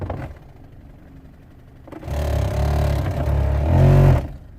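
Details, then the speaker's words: Peugeot 107 HVAC blower not working, switched on from the cabin: fan spins up to a low rumbling whir with an uneven catching clatter as something tries to turn but catches; blower motor obstruction. "have you heard that when I turn it on something tried to turn but it's like if it's catching"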